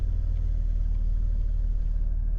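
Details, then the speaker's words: Jeep Cherokee XJ with a cooling system upgraded two years ago, hot restart after 20 minutes of driving in mid-90s °F heat, gauge just above 210: steady idle with no stumble, when it used to idle rough; normal hot idle. "So I'm gonna start it up and see if it idles rough like it used to. Do a quick test here. All right, so as you guys can see, no issues whatsoever."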